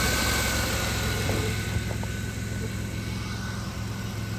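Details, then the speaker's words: 2000 Chrysler Town & Country 3.3L, idling after replacing a leaning serpentine belt tensioner: steady, even, low smooth hum, no chirp or squeal; belt noise gone. "so we got her all taken care of noise is gone"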